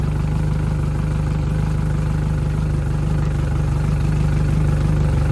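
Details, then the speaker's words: 2010 Yamaha F115 four-stroke outboard on a 2010 Bennington, first startup after years of sitting: idling down with a good strong tell-tale stream; steady, even low idle with smooth regular pulses, no knock, miss or rattle. Normal idle. "Idling down now. The Bennington is back."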